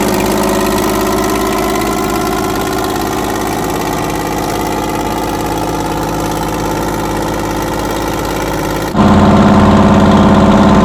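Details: 60-year-old US-imported Massey Ferguson 98 tractor with factory Detroit Diesel GM 3-71 two-stroke, after significant restoration: even, steady idle beat with no knocks or misses, then revs slightly; normal idle.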